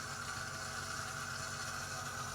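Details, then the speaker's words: 2015 AEG Favorit/Electrolux dishwasher showing code i30 and beeping. Water in the base pan lifted the leak-protection float, forcing emergency mode. Steady electric hum and whir as the drain pump cycles on. Cleaning fixed it. "The float at the bottom rises, and then it goes into emergency mode."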